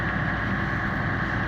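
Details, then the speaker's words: 2005 Challenger MT535B tractor, CAT engine, about 5,700 hours, cold start after FASS Titanium fuel pump replaced the mechanical pump, primed with key on: steady even diesel clatter at raised idle, no misses or knocks; automatic high idle, normal. "so I'll go ahead and start it automatically went to a high item by itself and once it's warm"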